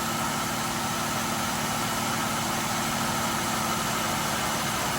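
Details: 2008 Ford Escape V6 suspected of burning oil, idling after the PCV valve was replaced: even, steady, smooth idle with no ticks, hiccups or hissing. It sounds better than before.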